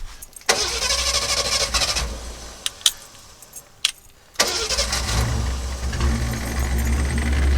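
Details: 1963½ Ford Falcon Futura unused for 18 years, fresh fuel added: cranks, catches briefly and dies, then restarts into an uneven, lumpy rough idle; noticeable blow-by.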